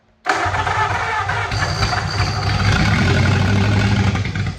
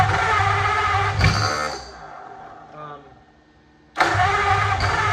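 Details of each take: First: 1927 Roadster flathead V8 with a jumper wire made to power the ignition: it cranks, catches at once and holds a steady, fast idle with no misses; the distributor is then advanced. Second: 1927 Roadster flathead V8 cranking with ignition jumped to battery: bursts of irregular popping with no catch; the plug wires or firing order are suspected of being wrong and will be checked.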